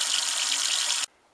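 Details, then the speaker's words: Well system after replacing the fried, stuck-shut pressure switch, in winter: pump kicks on and tap gives a steady rushing hiss of water for about a second, then cuts off cleanly; normal water flow from tap. "i did hear the pump kick on well there it is moment of truth we got the water going"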